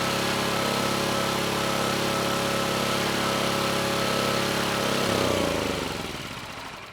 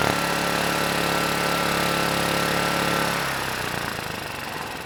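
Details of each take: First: Vintage Kawasaki GA1400A 1200 W generator found in a shed, ignition and low-oil switches disconnected, only coil wire in circuit: even single-cylinder chug at constant speed, then shut off by grounding the coil and winding down smoothly; normal running, no airbox fitted. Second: Vintage Kawasaki GA1400A 1200 W generator, no airbox or air filter, throttle held at idle by hand: runs hard about three seconds, then sags and fades instead of idling; surging, will not hold idle, pilot circuit of carburetor suspected, adjusting needle made little change.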